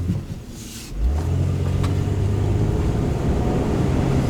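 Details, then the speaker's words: 2008 Kia Sportage road test after transmission replacement: engine drone drops and settles smoothly into a lower steady hum under road noise, no flare or clunk; clean automatic upshift into fourth gear. "That's fourth, baby. Yep. Yeah, that's fourth. Yeah. That's it. Brand new transmission, man."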